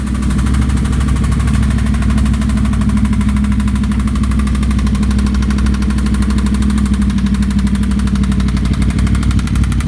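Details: 2009 Yamaha R1 with short Graves exhaust, before engine teardown: loud rough idle with dull uneven knocking under firing; rod knock from one connecting rod's bearings overlapping each other, crank slightly damaged.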